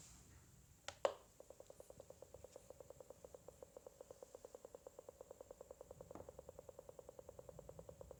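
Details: Faulty alarm unit after the doorbell has been answered: quiet, evenly spaced ticking about seven per second continuing unchanged in a silent room; repetitive knocking when it should stop.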